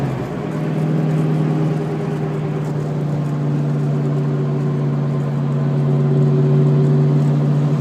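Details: T/A drivetrain whine while driving: steady low hum-whine at constant pitch over the engine note; maybe the S60 rear with about 4k on it, babied, no track or hard launches, about 400 hp crank; owner suspects tires or a bearing.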